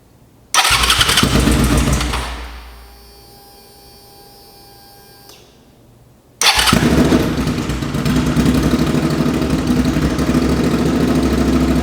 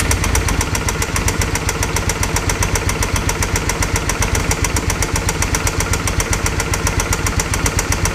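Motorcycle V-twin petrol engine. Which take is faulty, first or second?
second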